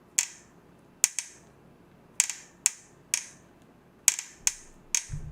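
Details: Carbon road bike before repair, handlebar rocked by hand: sharp dry clicks about once a second come from the head area of the carbon steerer; traced to a poorly seated expander plug (star nut substitute) under the top cap, which was then fixed.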